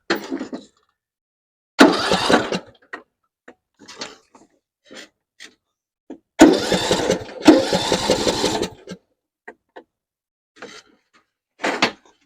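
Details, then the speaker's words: 6-year-old John Deere 100 series lawn tractor, free, unknown history: two bursts of starter cranking that never catch, cranks but won't start; solenoid suspected, not confirmed. "all right so guess that's where we're going to have to start with a solenoid there everything else looks good"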